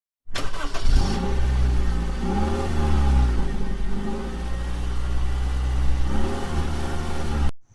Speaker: we're gonna try to pull the iacv and clean it out so it can stop the engine from pulsating where it go it revs up and then it comes back down and then it revs up and then it comes back down